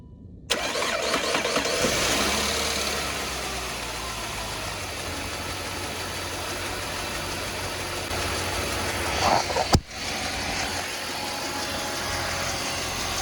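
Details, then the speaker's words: Saab 9-5 right after replacing ignition cassette and spark plugs to fix misfire under hard acceleration, cold start: brief crank, catches at once, steady smooth idle with slight accessory-side whir and one blip. "Seems to be idling pretty smooth so far."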